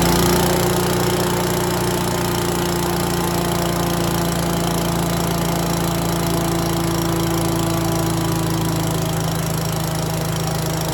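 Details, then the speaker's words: Yardman 5.5 hp leaf-and-stick vacuum, first start. The small single holds a steady, fast run with the fan roaring evenly and no surging or stumbling. Running normally. "all right this thing's going crazy blowing wind everywhere"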